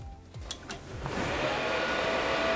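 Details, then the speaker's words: PC with 16 GB RAM, GTX 1660 Super and Thermaltake 500 W power supply that keeps shutting down: a few clicks at power-on, then a rising whirr with a gritty edge; one fan is grinding. "Well, it's powered on, but it sounds like there's a bit of a grindy fan. Well, that's something we'll address a little later."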